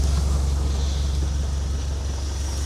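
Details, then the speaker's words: 1966 GAZ-69M cold idle just after an easy start with the choke off, heard from outside the cab: steady, even low rumble with no knocks or misses, settling smoothly; normal idle. "here's the motor going. Like I said, it just starts so easy, which surprised me."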